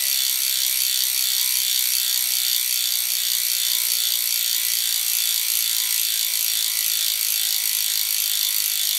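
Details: Freehub of a DT Swiss 370 three-pawl rear hub on the E 1800 Spline db wheelset of a 2020 Canyon Endurace CF SL Disc 8.0 Di2, freewheeling: steady rapid clicking with a crisp, even tone and no roughness; normal, healthy freehub.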